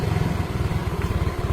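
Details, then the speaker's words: Yamaha Mio M3 scooter after tapping the stuck starter relay so the starter no longer cranks by itself: engine started and idles with an even, steady low thumping, regular firing and no misses; normal idle. "Sekarang kita hidupkan. Diarter enggak bisa. Nah, motor sudah hidup, Guys."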